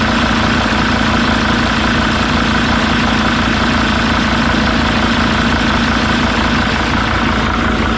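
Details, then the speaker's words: Mercedes T1N van diesel (OM612/OM647 swap) after swapping wrongly reversed vent tube heater and HP pump connectors, which caused stalling: steady even idle with soft regular clatter, no dips or exhaust pulses; runs smoothly. "i think that's longer than it's run before so that must have been all it was to get those swapped it's nice and smooth no pulses in the exhaust injectors cool"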